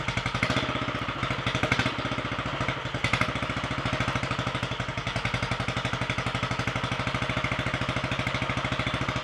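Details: Royal Enfield 500 first start after top-end rebuild: 9:1 high-compression piston, alloy barrel shortened 2 mm, ported head, 32 mm carburettor, enlarged inlet, competition cams, ~35° full-advance timing; crisp, even single-cylinder thumps with no misses; runs healthy.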